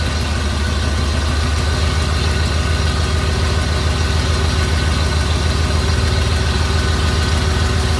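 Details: Big Block Lightning truck with EFI 460 V8 after installing an Aeromotive 13102 adjustable fuel pressure regulator, unadjusted, about 35 psi key-on versus 30 stock: deep even idle rumble, no ticks or surges, slightly smoother than before; normal idle.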